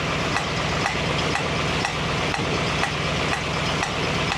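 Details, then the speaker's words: 1965 Mustang GT convertible V8 after Tuff Stuff 7068K 140 A one-wire alternator install: steady idle with light regular tick about twice a second; new unidentified sound, seemingly from the carburetor area. "so that's a new sound it sounds like it's coming out of the H carburetor"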